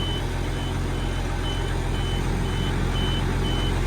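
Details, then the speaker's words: Case 4494 tractor just after cold start, diesel idling in neutral: high sharp beep pulsing about twice a second; owner thinks it's the handbrake warning but unsure why. "Telling me the handbrake's on, I think. I don't know why, because it's in neutral."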